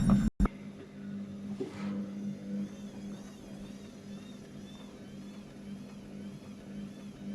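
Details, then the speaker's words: Brandt 7 kg 1400 rpm washing machine (Max 1489 SF) that had been failing to spin: after balancing, quiet steady motor hum winds the drum into spin without knocking; normal spin start. "elle commence à entamer sa [Musique] rotation et là la voilà partie"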